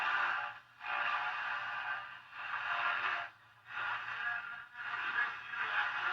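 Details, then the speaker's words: 1952 Coronado 8515a AM/FM tube table radio, customer complaint of weak reception, after detector tweak: FM on aerial pulls more stations but audio is hissy, smeared and swelling over a low hum, still unclear. "More sensitivity, but still isn't very clear. A lot more stations, just not very clear."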